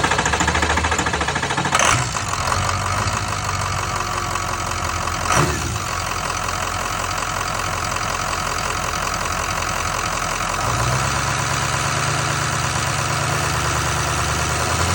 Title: 6.0 weird whining sound coming from oil filter area at 2500 rpm and shutting down.